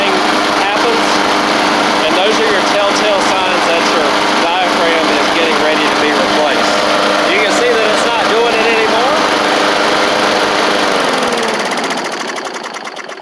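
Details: Bolens push mower with Briggs & Stratton Classic single-cylinder engine after new carburetor kit: steady constant-pitch drone, no sputter or hunting, then clean shutdown; normal running.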